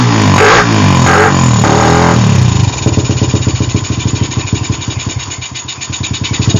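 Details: Suzuki Satria FU, formerly hard to start especially when cold, with a PE carburetor after pilot jet and carb internals replaced: normal running, throttle blipped three times, then a steady, even idle.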